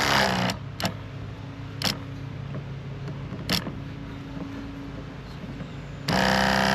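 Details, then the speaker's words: Sprayers Plus 105EX battery backpack sprayer after pump replacement and retightening of the hose fitting; steady, even low electric hum with a few handling clicks, no leaks, pump running normally. "I don't see any leaks. I think we're in good shape."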